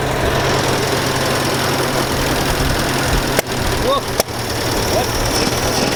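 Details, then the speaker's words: Massey Ferguson 65 tractor after carburetor work, throttle turned up: loud, ragged run with uneven beats and sharp stumbles; rough running, owner says it's flooding out. "now this might backfire well we know it's gonna run so we gotta work on it a little bit here"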